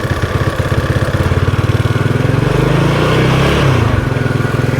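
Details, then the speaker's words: Yamaha Mio Sporty 115 scooter with no steady idle and hard starting: idle keeps climbing and sagging by itself, rising then dropping back, from an air leak through the fuel cock vacuum line. "Paiba-iba paiba-iba siya ng andar oh."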